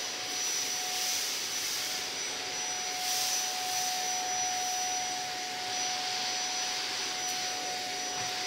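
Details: Zanussi Compact Power cylinder vacuum cleaner in a review, picking up old Weetabix from the floor: a steady airy rush with a constant mid-pitched motor whine and no rattles or surging. Normal running.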